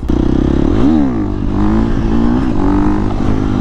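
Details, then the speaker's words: 2018 KTM XCF 350 dirt bike test ride after replacing cracked fuel pump filter: strong clean pull, revs climbing through gears without bogging or sputter, even in fifth; normal acceleration. "I can definitely tell it has more power it doesn't bog it doesn't sputter"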